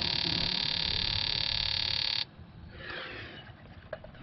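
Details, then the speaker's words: 2001 Prizm (Toyota Corolla) 1.8L with a 171 code, injector driven by an OTC 3398 pulse tester at 100 pulses with the pulsing light on: fast, steady, even electric clicking, then it stops; normal. "when you hit that you get your little pulsing light but that's pulsing the injector"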